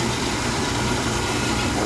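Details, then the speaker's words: Oil-fired furnace burner on purge mode after service, with air left in the oil filter: a loud steady roar with a rough, uneven flutter underneath. Air in the fuel line is starving the nozzle. "That should be on purge mode. Don't forget I left air inside the thing."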